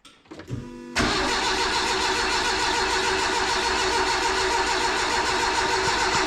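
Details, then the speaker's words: Renault 5 GT Turbo van during rebuild. After a few stutters the starter spins it steadily at about three beats a second, but it never catches; oil pressure light goes out. Crank, no start; owner thinks carb cleaner or easy start is needed. "I think what it needs is bit of carb cleaner or easy start just to see if it'll catch off that"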